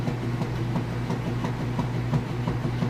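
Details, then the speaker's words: Kenmore top-load washer agitating on an express wash with a heavy load of jeans and towels: steady low churning with rhythmic swishes about three a second, even and strong. Agitation is normal. "On the agitator, you just want to make sure it spins freely one direction and not back the other direction. That's how you know this is working properly. And of course, you can hear it running."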